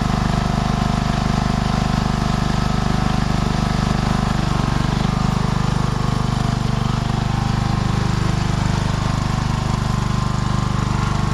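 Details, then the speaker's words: Tractor on a test ride, choke return spring not yet installed so the choke kept closing and it nearly died a few times: steady even low chug at constant speed, no knocks or misses; now running well. "Sounds like it's running really good now, folks. Wow. Oh yeah. Running good."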